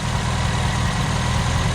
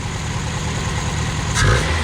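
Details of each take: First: 1979 Honda Accord 1.8 CVCC, 5-speed, with Weber carburetor conversion, after heavy flooding: low idle with slightly uneven beat and occasional stumble; valve train sounds good, slight miss, new ignition parts ordered. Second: 1979 Honda Accord 1.8 CVCC, 5-speed, newly converted to a Weber carburetor, warming up after sitting a long time: crisp blips that climb and fall cleanly with no misfire or stumble. It revs freely but smokes and burns oil.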